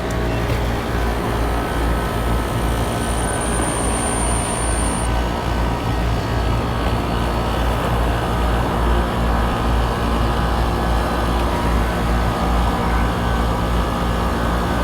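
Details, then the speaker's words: Office rooftop AC unit in Texas heat, after capacitor checks (about 9.62 and 10.34 readings) and power troubleshooting: blower and compressor start, steady even low hum with constant roar, no knocks or rattles; running normally, no fault found. "Let's turn it on, see what happens. Blower came on, compressor came on, compressor"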